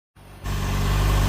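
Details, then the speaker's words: Motorcycle engine idling smooth and even with a steady low tone and no chatter or ticking after the new cam chain tensioner was fitted; the old one was locked up, a sign of failure. Much quieter now, sounds normal. "it's definitely a lot quieter after the new tensioner was put on. Sounds pretty normal now."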